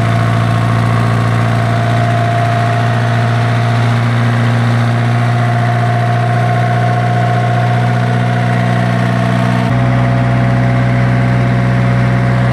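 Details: Isuzu diesel generator engine that had a hard starting problem, now running: low, steady drone with even beat at idle, no knocks or misses; normal idle.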